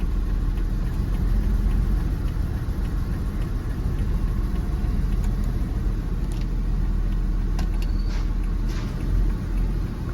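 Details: Jeep WJ 4.0 shaking and not accelerating, dash lights on, idling with AC on, code P0351 (coil primary/secondary failed); a deep, lumpy, uneven rumble. The cylinder 1 plug is not firing, an ignition misfire.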